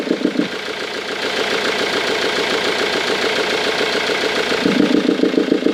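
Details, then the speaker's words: 2002 Ford Mondeo 2.0 TDCi 115 diesel at idle, air box removed: sharp regular ticking about three per second over the idle, growing louder; engine clatter, suspected intake valve not closing properly from carbon or bent valve. "faire priori soupapes d'admission qui ferme mal donc on va regarder ça on va essayer de faire ce qu'il faut"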